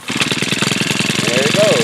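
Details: New Home Depot tiller, small single-cylinder engine: quick, even chuffing beat with no knocks or misses, now healthy. Owner suspects full or clogged blades were stopping the pull cord and preventing starting.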